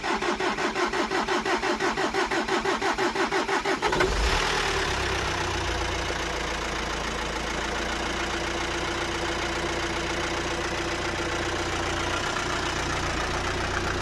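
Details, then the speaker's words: VW Amarok after cracked cylinder head replacement and bent valves: steady cranking about four seconds, then catches into an even smooth idle, no dash warning lights; healthy start. "your lights on the dash nothing none it sounds like it's running fine"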